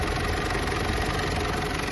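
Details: Mitsubishi L200 Triton 3.2 diesel idling after timing chain replacement with a semi-new original kit: even rhythm, no rattle from the engine front or valve cover; noise gone, running normally.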